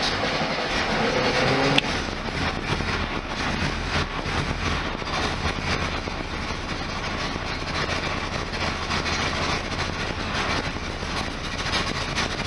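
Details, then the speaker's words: 1973 VW Super Beetle air-cooled flat-four, first start of 2024 after fitting a new stainless EMPI header, quieter than before: steady, even idle with a smooth exhaust note and no knocks or ticks; healthy. "it is definitely quieter than it was before and I've said this in my other videos this camera does not actually indicate what it sounds like"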